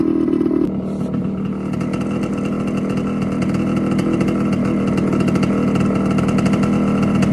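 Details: TC125 two-stroke dirt bike after carb clean, new fuel line and filter, spark plug swapped: crisp popping idle about four beats a second, steady and clean; runs like a dream.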